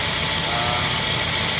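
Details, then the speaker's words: 1952 Ford F1, cold start after sitting 7 days, choke pushed back in, carburetor rebuilt, spark plugs changed: steady, even idle with a smooth hum and no ticking or knocking; normal idle. "You'll see there's no ticking, there's no knocking. Everything is running nice and smooth. Idle is set perfectly."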